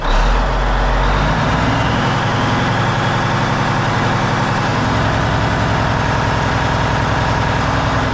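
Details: Peterbilt truck diesel, first start after cab refit with fresh fuel in the rebuilt tanks, warming up; deep steady idle with an even low throb and no knocks or misses; idling cleanly.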